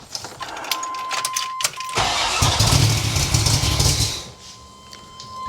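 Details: 1978 Corvette L82 V8 with side pipes, Tremec TKX, first run in a long time after restoration: starter spins briefly, then catches with a deep throaty rumble and settles into a lumpy idle; starts cleanly.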